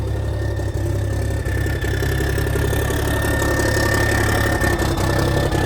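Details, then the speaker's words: 1987 cabover truck diesel, cold start, first run in years on new batteries, oil pressure about 40: low, steady diesel clatter at idle with an even beat and no misses or knocks; normal diesel idle. "Man, that motor sounds pretty good. That thing sounds amazing."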